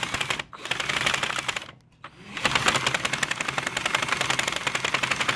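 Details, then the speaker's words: Loops & Threads Quick Knit machine spun by a drill through a 3D-printed half-inch hex adapter at a fast rate: even, steady needle clatter with no stumbles. Running at top speed risks missed stitches, so the owner normally runs it slower. "is for the nit quick one you go too fast though of course you know you're gonna we're gonna have some misses that's why I normally don't go at its fastest rate"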